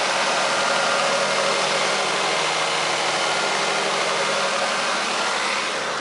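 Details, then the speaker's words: 1997 Toyota Camry right after Denso starter rebuild (it had clicked once without turning over): first start, starts right up to an even, settled idle with steady hum, no misses, clicks or knocks; normal idle. "all right we got contact there we go he starts right up"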